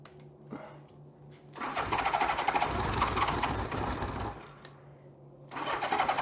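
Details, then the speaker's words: 1982 Honda GL1100 Goldwing just converted to single Solex-type carburetor, first start attempt: two bursts of steady fast cranking, about four turns a second, never catches; owner suspects over-choking. "I wonder if we're over choking."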